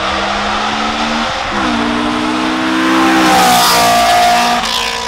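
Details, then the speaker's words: 2004 Honda S2000 phase 1.5 with aftermarket dual-outlet exhaust and decat pipe, probably 70 mm; loud raspy note rising and falling with revs, far louder than stock, a tremendous racket: loud exhaust from decat. "Qu'on peut voir sur celle-là, donc j'ai une Nvidia Q300 double sortie avec son décata en 70 mm il me semble. Donc autant dire que ça fait un barouf de fou."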